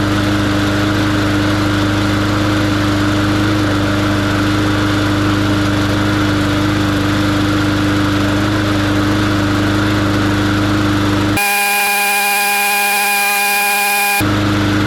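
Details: Briggs & Stratton engine on a 20-inch MTD mower, cold start after clearing hydrolock from oil overfill: holds a steady, even single-cylinder drone at constant pitch, no stumbling or surging; runs healthy.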